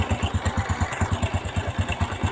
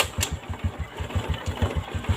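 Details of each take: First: Honda Revo Fit/Absolute carburetted motorcycle at idle: even thump about nine beats a second with a dry rattling clatter; loose cam chain, which has broken through the engine block. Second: Honda Revo Fit motorcycle after replacing loose cam chain that damaged the block: even, regular idle thump about five beats a second, no top-end ticking or rattle; smooth again, normal idle.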